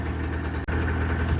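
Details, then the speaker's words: Rebuilt Tornado snowmobile two-stroke restarted after dying from fuel shut off during carb work: even idle with one brief dip, idling normally again. "Started right back up. Didn't even phase it. Just ran out of fuel, that's all."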